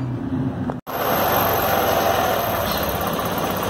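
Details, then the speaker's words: Scooter after replacing the leaking exhaust gasket at the cylinder head, which had caused compression leak noise and higher fuel use: steady even engine note, no puffing or ticking at the exhaust joint; noise fixed, running clean. "así es como nosotros le quitamos el ruido y la ponga de una nuestra motocicleta"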